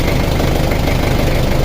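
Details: Nissan Frontier D22 pickup engine idling with a deep, rapid, regular knock running through its low rumble; knock later solved, fuel return pipe replaced.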